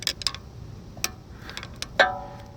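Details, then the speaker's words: 2017 Audi A3 with a knock when driving, worse at 50-80 and over bumps, suspension all intact: sharp metallic clicks as a loose brake pad is rocked in its caliper; fix is original or TRW pads. "So this sound that you hear, it amplifies going 50, 60, 80. You're going to hear a tuck. Especially when you hit bumps, you're going to hear that."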